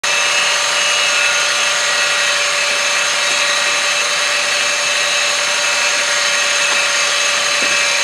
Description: The engine sound of a 2001 Honda Insight. I think the high pitch noise is from a bad idler pulley.